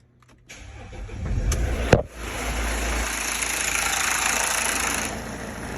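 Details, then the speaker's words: Mercedes 651 diesel engine, cold start: timing chain rattle for first ten seconds then runs normally, rough rattly idle from slack worn chain; chain to be replaced. "اول ما بتشغل اول عشر ثواني بيطلع معك صوت الجنزير وبعدين بصير موتور نظامي"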